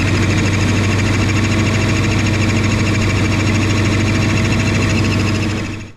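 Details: Lexus ISF with a newly installed used supercharger on first start with the belt on: a loud, lumpy rough idle with an uneven knock at about three beats a second from the blower drive. A blown supercharger is suspected; the fix tried is moving it one tooth.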